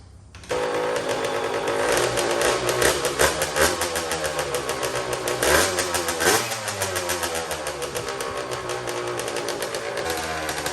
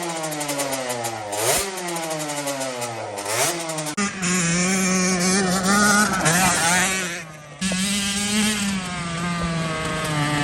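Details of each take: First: Custom Honda TRX90 with CR85 two-stroke engine, first start after rebuild with T2 oil: sharp start, crisp even idle and clean throttle blips; sounds good, though the carburetor clamp is loose and needs replacing. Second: Custom Honda TRX90 with rebuilt CR85 two-stroke engine on its third heat cycle, jetted with 40 idle and 110 main: crisp snapping revs, slightly flat with rpm hanging on blips, judged too lean, to be richened to 45 idle and 130 main.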